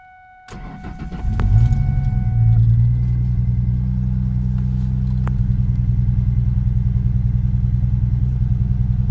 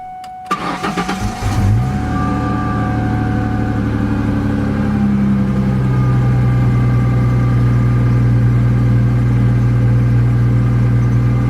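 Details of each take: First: 2004 Ford Mustang 3.9L V6, about 165,000 miles, idles lumpy and uneven with a stumbling beat; code P0303 cylinder 3 misfire, caused by cylinder 3 spark plug wire damaged by header heat; cylinder misfire at idle. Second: 2004 Ford Mustang V6 3.9L, about 165,000 miles, after repair of a P0303 cylinder 3 misfire caused by a heat-damaged plug wire near the header: cranks, catches quickly, settles into a smooth, even idle; check engine light gone.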